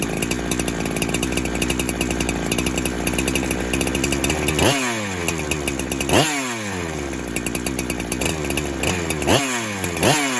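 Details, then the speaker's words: 372 clone chainsaw that kept leaning out after fuel was added, warming after a cold start: revs high, then sags and surges repeatedly, pitch diving and recovering, running lean from a suspected air leak. "And there is no air leak right now because everything's nice and tight. As that thing starts to warm up, it's going to lean out."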